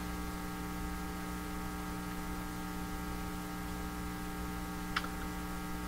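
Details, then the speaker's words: 1940s Canadian Red Cross five-tube radio, odd resistor removed, supply only about 67 V and drawing heavy current: steady low hum through the speaker, no station audio; cause not yet found. "is the radio working despite the hump oh the hum is coming right through on the volume"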